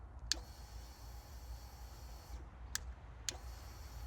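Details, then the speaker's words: Salvage Harley-Davidson motorcycle, key fob recognized, fuel checked good, ignition cycled on and off; a click, then a faint high steady whine for about two seconds that cuts off, then more clicks: normal fuel pump priming, engine management light on. "So each time you turn the ignition on and off, you can hear it's priming it."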